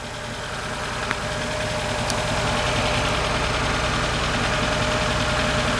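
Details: Cold Hyundai idling in winter, needing gas sprayed while cranking; fuel pressure regulator vacuum hose checked with no fuel found: steady drone with faint uneven pulse about four beats a second; rough idle, cause not found.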